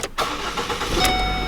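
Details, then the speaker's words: Ford Focus after replacing/re-welding an engine mount and fixing the transmission mount: engine starts cleanly and settles into an even idle, cabin no longer rattling, mounts holding; normal start and idle. "Oh yes, that is so much better. That sounds, the interior isn't rattling anymore. That is, that is so much better."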